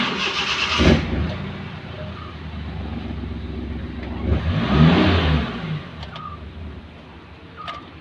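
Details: Maruti Suzuki Omni with a crank-but-no-start complaint: the engine catches after a short crank, settles to a steady idle, then revs up cleanly and drops back; it now starts and runs normally.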